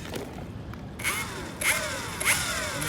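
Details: Evolve GT electric skateboard motor failing: repeated scraping creaks with squealing sweeps about every half second. Only one motor is turning and it is very hot; the motor is broken.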